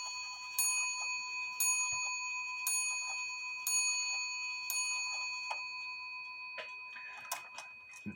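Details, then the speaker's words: Shelf clock bell after bending the hammer wire away from the wooden case it was touching: five clean strokes about one a second, each ringing on bright and open with no dull thud; normal strike. "I love that sound a lot better than what it was"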